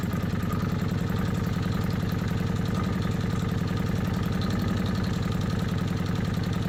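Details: Kawasaki Vulcan 750, warm idle, manual cam chain tensioner backed off one and a half turns from starting point: rapid metallic clatter about three to four per second as the cam chain goes slack; worse at two turns.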